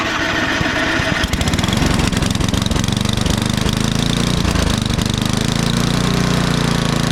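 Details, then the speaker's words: Ariens snowblower, hard to start, electric start: catches after a second of cranking, then runs with an uneven, lumpy low beat. Owner suspects water in the gas; it probably needs a carb clean. "well hard to start oh yeah probably has some water in the gas or something"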